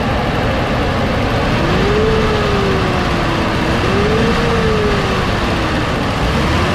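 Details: 2015 Nissan Caravan E26 with loss of power and lazy acceleration, during back pressure test at idle and throttle snaps: loud, harsh exhaust roar with pitch rising and falling sluggishly; clogged catalytic converter.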